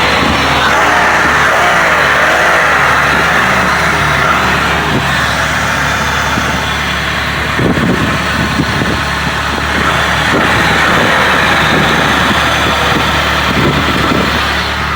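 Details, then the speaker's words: 2005 Pontiac Bonneville 3.8 on its first start after replacing the heads with 2006 Grand Prix heads and fitting new gaskets (owner suspected head gaskets, mechanic suspected lower intake manifold): a steady, even idle holding one pitch, with no knocks, stumbles or misses. "there we go running so smooth god damn running smooth as hell so three days of working on it paid off got the bonneville fixed up"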